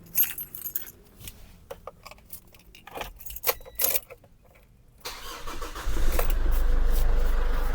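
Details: Ford Everest diesel, burnt ECU/PCM replaced with immobilizer-off unit: keys rattle, short crank, then catches and settles into steady, even idle with no stumbling; healthy start.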